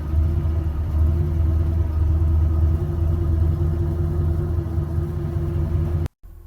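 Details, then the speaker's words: Warm start of a 1967 Buick Skylark 2-door hardtop, 300 cubic inch Buick V8, that has been running today. It idles with a deep, steady burble through dual exhaust with polished exits, heard from the driver's seat, with no misses or knocks. Normal idle. "so a nice even start. No trouble at all. Uh, I can even from where I'm sitting, I can hear the rumble of the V8 through the uh, dual exhaust with the uh, polished exits."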